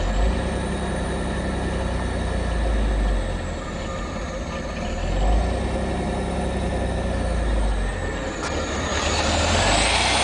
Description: '87 Fiero GT, has a really rough idle when I first start it each day. Tried to get a shot of the tach, may be too dark, but it goes from about 1100 to 550.